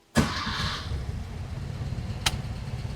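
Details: 1968 VW Type 3 with dual 34 carb conversion, cold start with no pedal, idle set somewhat high: quick crank catches at once and settles into an even, steady idle with no stumble; normal cold start.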